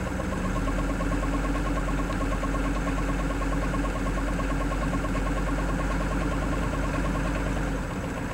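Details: 1987 Ford F350 6.9 diesel at idle, knock clearly audible from inside the cab: dull knock repeating about three times a second through the diesel clatter; cause not yet pinned down.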